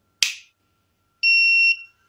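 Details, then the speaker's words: Tronic Alfa 800 W studio monoblock flash, after repair of a failed earlier service causing erratic calibration and power drops; switched on at lowest power: sharp click, then one clean steady half-second beep. Powers on and readies normally. "Oke lampu kita mulai kita Nyalakan dari power terkecil ya biar temen-temen bisa lihat itu kita coba Nyalakan"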